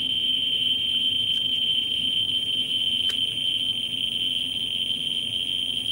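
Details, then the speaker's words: Ludlum 14C with a Ludlum 44-3 gamma scintillator probe close to a smoke detector's americium source: the clicks run together into a constant high-pitched buzz, the count flattening out at about 120,000 counts per minute, saturated. "we see that it flattens out at about 120,000 counts per minute and you can hear it seeing eautifully"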